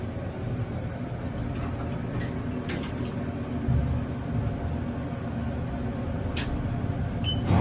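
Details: Otis machine-room-less (MRL) traction elevator in Denver, Colorado: low steady rumble of the car travelling, broken by a few sharp squeaks and clicks of unclear source; abnormal running noise.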